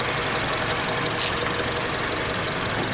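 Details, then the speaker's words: 2012 Chevy Cruze Eco, about 155,000 miles, overheating and losing coolant: light tinny chatter over the running engine from the loose plastic engine cover buzzing against its mounts; rattling engine cover. "now now um it's having problems that's just got covered that cover drives me crazy that rattling"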